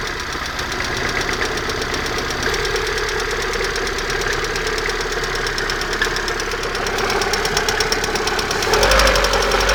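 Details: Sharp ticking knock over the idle at roughly three per second, from the exhaust manifold area; owner asks what it could be, source not pinned down.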